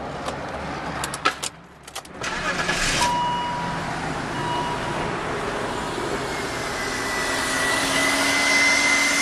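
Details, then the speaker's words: 2000 BMW 528i Sport during a pre-purchase inspection: short crank, then the engine catches and settles into a smooth, quiet idle with a faint alternator whine from recharging the battery, no abnormal noises; normal start and idle. "the engine is quiet you can hear the alternator turning a little bit from just probably being moved around and whatnot charging the battery back up but ultimately the engine is quiet no abnormal noises and seems to be running smooth at this time"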